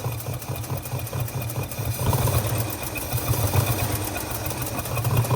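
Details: Long-abandoned 1948 Studebaker Champion flathead six with an uneven idle and regular stumble, puffing heard from the carburetor; at least one dead cylinder, possibly an intake valve (suspected); misfire.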